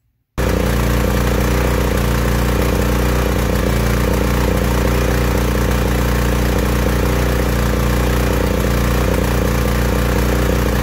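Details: Small petrol generator engine deliberately run rich as a demonstration: a deep, full tone with uneven sputters from too much fuel relative to air.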